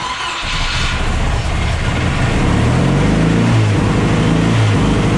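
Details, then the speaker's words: Mercruiser 140 boat engine swapped into an S10, charging at 14 volts: rough idle, then once warm the revs climb on their own and hang high without throttle; warm idle surge, cause not yet found (some fuel pools in intake). "Like it seems to be when it warms up, it just takes off."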